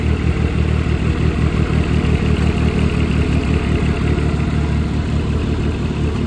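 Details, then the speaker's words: Dodge Caliber SRT4 after fresh oil and filter, compression and coolant block tests passing: rough busy idle with uneven mechanical clatter, not typical rod knock; internal engine noise, cause unknown. "It's it's making some noise. I just don't know what the noise is. That's not your traditional Rod knock, no."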